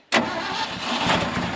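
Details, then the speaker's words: 1974 Ford F600 dump truck sat two years, started with choke pulled: sudden catch into a loud, even roar settling to a steady run; starts cleanly and sounds good, smokes a little. "oh look at that she will start sounds good yeah hey it sounds good too oh that's awesome"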